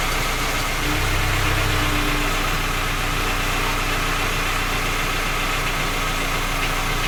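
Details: Skoda Octavia A5 facelift 1.6 MPI, engine knocking when cold despite three engine repairs that did not find the fault: cold idle with a rough, uneven knock at about four per second over the hum; origin unknown.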